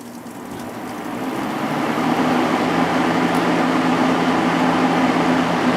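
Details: Lakewood P223 first-generation fan with Westinghouse motor, after cleaning, oiling and washing blade and grills, running on high: even whoosh building then smooth hum, no ticks or rattles, healthy.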